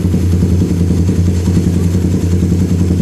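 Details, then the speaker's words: Suzuki Satria Fi150 fuel-injected motorcycle, idle screw near the throttle body turned right from two bars on the tachometer: quick, steady buzzing idle sitting noticeably high and not settling; owner thinks idle may be too high, to be lowered if so. "Bukan pedal gas, tetapi putaran mesin saat idle pada speedometer. Oke, itu cukup tinggi , mungkin terlalu tinggi."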